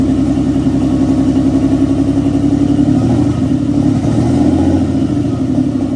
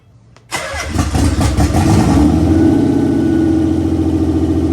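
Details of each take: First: 1992 Nissan 300ZX with freshly installed engine, start on untuned twin-turbo ECU: lumpy, uneven running with an irregular stumble a few beats a second; misfire suspected from running rich on a big vacuum leak. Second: Nissan 300ZX Z32 converted NA to twin turbo, first start: a few cranking beats then catches into steady even idle without misfire or stumble; normal start and idle.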